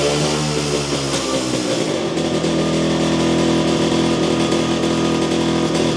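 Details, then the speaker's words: Jawa 250 two-stroke after engine rebuild following post-dyno heavy smoking, still smoking somewhat: uneven, ragged, wavering beat with revs hesitating on throttle; carburetor seems out of adjustment, not yet confirmed. "Usampikin kommentoi, että ei kuulosta olevan säädössä ja itsekin oon kyllä samaa mieltä, että se vähän oli semmonen se kaassuk painot ja tolla, niin se ei lähtenyt sille niinun saman tien vaan se vähän niinku epäröi aina"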